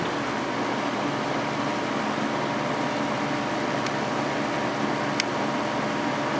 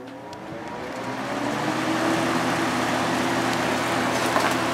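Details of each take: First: Vintage 1983-84 Lasko box fan on high, motor previously repaired with adhesive: steady electric hum with constant drone under airflow, runs smoothly; very pronounced hum, owner believes from many hours of use, resonating via single-piece motor mount. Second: 1983–84 Lasko box fan on high, likely with many hours on a motor repaired with adhesive: a steady, pronounced motor hum resonating through the single-piece motor mount and frame, with an even air whoosh and no scraping; it runs normally.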